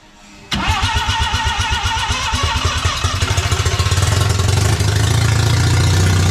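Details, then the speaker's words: Mazda RX7 barn-find 12A rotary, first startup after sitting for years, on an electric fuel pump: it catches at once with a fast, uneven burble that gradually smooths to a steadier idle; owner suspects faulty needles and seats flooding the carb. "I think I've got a problem with the needles and seats not working so the carb is just when I put the electric fuel pump on the carb he's just flooded in"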